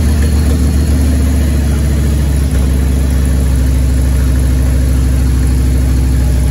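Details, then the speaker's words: 1994 Harley-Davidson Evolution V-twin, over 70,000 miles, first start after top-end rebuild for a base gasket leak; deep, even lopey idle, solid compression, no motor ticking, only exhaust noise because the torque cones aren't seated yet. Normal idle. "all right we did it sounds good it'll take you from the exhaust"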